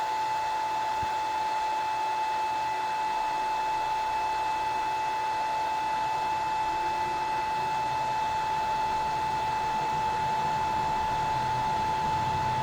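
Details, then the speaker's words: Gramercy Place Garage CO-testing exhaust fan on VFD: after reset, sensors off, it ramps back up and runs at 100% speed at about 10 to 10.5 amps, correct with no sensor signal; steady high whine near 900 Hz with even airy rush. "it says it's running at 100 speed right now"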